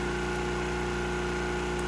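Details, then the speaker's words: Generator set slightly high and tuned for a 1500 W load, now under a 1500 W toaster load at 120 V and just under 60 Hz: a steady, even drone with constant pitch, no hunting or surging. It holds speed well, running normally right on the sweet spot. "as you can see 1 500 watts with both sides of the toaster down and i have 120 volts just shy of 60 hertz it's right where i want it right on the sweet spot"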